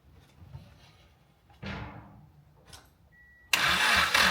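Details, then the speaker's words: 70k-mile Mitsubishi Conquest turbo after fitting an aftermarket exhaust manifold: quiet, then a quick crank catches at once into a loud, even idle through the open exhaust; starts cleanly and runs well. "Sounds good. Sounds like it's worth all the work. Thankfully."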